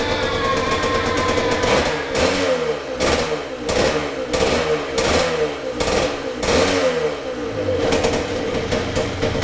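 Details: 1978 Yamaha DT175MX two-stroke, very first start after complete restoration with new crank bearings and seals, new piston and rings and new small-end bearing: crisp buzz rising and falling through quick blips, each dropping cleanly back; normal idle and revving.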